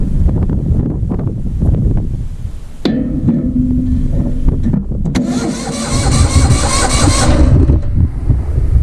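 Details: Vintage Hydra-Mac mini skid steer, restarted after it died: catches after a few starter bursts, then a fast, busy idle well above normal; owner suspects the coils are toast; super high idle.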